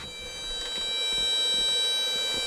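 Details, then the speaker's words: Ryobi fast charger charging a 4 Ah battery: its cooling fan gives a steady high-pitched whine with several fixed tones over a faint hum. Louder than the manual's "slight hum"; owner unsure whether it is normal or a faulty unit. "does have a fan in there, and it whines pretty loud. In the manual it says you'll hear a slight hum."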